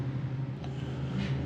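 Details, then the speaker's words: 1976 Ford F-350 at idle after new spark plugs (one was cracked) and an ignition upgrade using Chevy parts: low, rumbling idle with a lumpy, uneven throb that still runs funny; a heat check shows cylinder three not firing. "Well, that uh still kind of runs funny. We're going to check the heat on the cylinders and make sure everything's firing."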